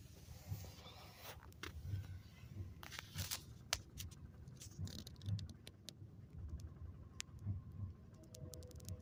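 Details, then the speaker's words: 2001 Chevrolet Monte Carlo LS 3400 V6 idling in park, idle raised somewhat after shifting from reverse: uneven low rumble lurching and stumbling; codes show multiple cylinder misfire; rough idle from multiple cylinder misfire. "so uh that's how rough she's running when I put it in park there"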